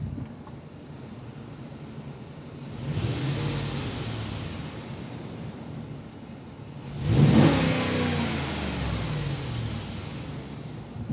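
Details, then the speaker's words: 2005 Dodge Durango 5.7 Hemi after spark plug and air filter replacement: quiet even idle, then two clean blips that rise and fall smoothly. The earlier tick, blamed on a spark issue, is gone and it is quieter; normal revving. "Yeah, this sucker has more power. So you don't even hear it tick anymore. And it's a lot quieter."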